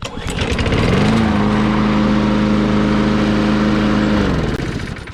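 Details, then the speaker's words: Push mower that sat for years without starting, after carburetor cleaning, gas tank cleaning and raising low rpm via an rpm adjustment: starts, settles into a steady even hum at constant speed, no surging or hunting; runs properly. "that sounds right to me now we got it all back together see how it starts"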